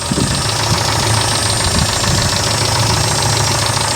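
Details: 1995 Daihatsu Feroza cold idle after oil pump replacement, front diff disconnected: even low rumble with light ticking on top, oil pressure 66 psi; belt sounds a bit dry; runs normally.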